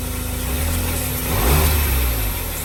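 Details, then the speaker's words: 2003 Smart Fortwo three-cylinder just after new spark plugs and HT leads: deep, even thrum that climbs smoothly on a blip and settles back steady with no stumble; now running on all 3 cylinders and sounding much better. "Well, I am extremely happy. It's now running on 3 cylinders. It sounds so much better."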